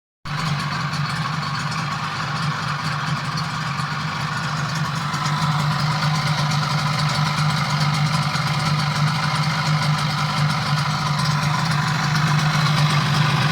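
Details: Yamaha 12A two-stroke outboard, first start after major overhaul; steady, even burble with firm low drone, no misses or knocks; normal, healthy idle.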